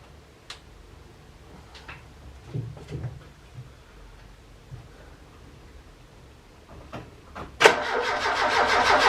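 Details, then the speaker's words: Ford Capri Calypso after 14 years stored, no fuel yet in the filter: long quiet stretch with clicks, then steady rapid starter churn that never catches; no spark found, suspected as the cause. "not sparking. Maybe that's the problem. Maybe that is the problem."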